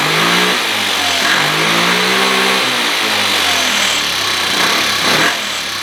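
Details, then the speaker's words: 2013 Kawasaki KFX 50 quad, carburettor being tuned with air cleaner fitted: engine speed wanders up and down and won't hold a stable idle; owner plans to raise the needle a slot. "so it doesn't want to idle very good"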